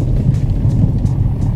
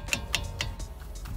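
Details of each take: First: VW Vento front suspension after an inexpensive fix for a months-long noise: only low tyre and road rumble at low speed (about 15 km/h) over rough ground, no clunks or knocks; suspension is now quiet. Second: VW Vento brake caliper knocked by hand while parked: three sharp metallic clacks about a quarter second apart from play in worn caliper bolts and guides; owner links it to the suspension noise heard over bumps.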